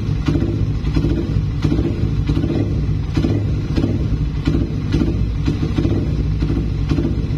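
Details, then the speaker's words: Suzuki Satria FU after tightening noisy cam chain tensioner: short even throttle blips with no ticking or chain rattle, indicating the cam chain adjustment is now adequate. "jadi di bagian rantai keteng itu ya ada pantulan dari kendor kenceng gak gitu ya kayak truk-truk itu kan biasanya ada aja ya di bagian Jasmine gas-gas kecil gitu dan ternyata gak ada ya berarti ini setelan Udah cukuplah segini ya"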